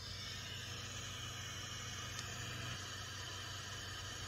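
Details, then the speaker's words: Bestek 300W pure sine wave inverter feeding an amp through an AC line filter and type 31 ferrite beads on the output: only steady gain-stage hiss remains and the inverter switching buzz is gone, with no changes to battery grounding. "you hear is the white noise from the gain stage you no longer hear that buzzing noise"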